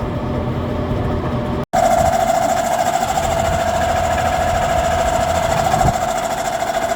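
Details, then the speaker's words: Outside AC condenser unit after replacing the noisy condenser fan motor with a new one; an even, steady mid-pitched hum with a smooth airy rush and no knocks or scraping, running normally. "It's not making any noises now. Sounds exactly how it's supposed to. It's just a fan motor."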